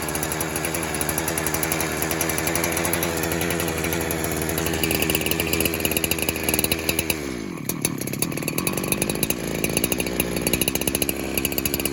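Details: Pulse Warmer 372 clone chainsaw that leans out once warm: screams at high revs, then around seven seconds the revs sag hard and nearly stall before picking back up; air leak at the clutch-side crank seal.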